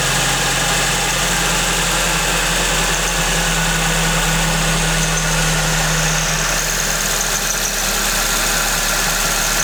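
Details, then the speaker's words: Suzuki ZC31S with supercharger, at idle: constant thin squeak over steady idle from the supercharger main pulley V-belt; engine otherwise sounds fine. "speaking noise-nya dari supercharger ya. Dia lagi call idle sekarang. Dari ini, dari main pulley-nya."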